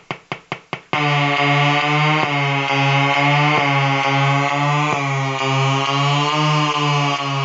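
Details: Colour-changing LED bulb on 4.5–6 V DC batteries: loud buzzing tone stepping in pitch as colours cycle, sharp tick at each change; interference noise from the LED driver.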